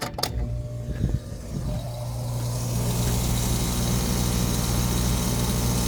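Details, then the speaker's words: Trane package A/C, one month old, compressor overheated in about 103°F heat with open internal overload, cooled with water and restarted; steady loud low drone with rough hum, pressures unchanged. Compressor runs without pumping, suspected shattered internal scroll. "But anyways, there's the pressures. You can see it's not doing anything. And I've heard there was like an email or a bulletin put up or something saying that essentially the corkscrew inside, which is the blades that spin, that they are shattering"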